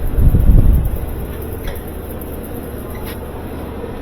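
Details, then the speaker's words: GE stacked washer/dryer, dryer after replacing the ball-and-cradle rear bearing hub; after a brief startup thump the drum settles into a quiet even low rumble, heating, no squeal or thumping: running fine. "real good getting hot everything looks good right there"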